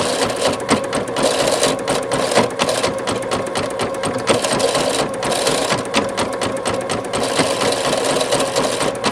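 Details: Singer Futura XL 550 before the fix: loud, uneven clatter rattling continuously from the bobbin area over the running stitch; caused by a loose throat plate cover, fixed by tightening it.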